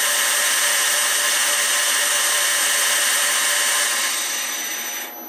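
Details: PM727M mill after a gear head to belt drive conversion, motor at 3,000 RPM, computer and control panel fans audible: steady, even high whir winding down cleanly, no knocks or grinding; normal spindle running.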